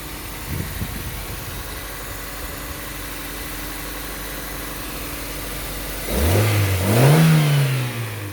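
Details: Toyota Corolla after ECU replacement to cure crank-no-start: even idle, then a sharp clean rev that climbs smoothly and drops back without stumbling; engine responding normally.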